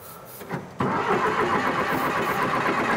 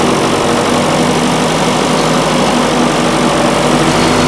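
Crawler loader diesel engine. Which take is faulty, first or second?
first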